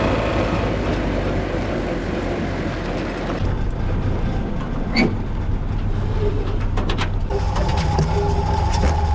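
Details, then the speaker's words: Willys CJ-2A with its T-90 transmission rebuilt using the cheapest eBay parts, on the 40 mph road test: even low drivetrain rumble with no clunks, pops or gear whine; transmission working normally on the road. "It worked totally normally, with no problems or weird behavior at all."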